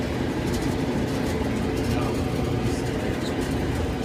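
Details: Whirlpool dryer running after repair of its no-heat fault by replacing the burnt wire at the thermal cut-off: even low rumble with steady tumbling drone, no knocks or squeals; drum turning smoothly.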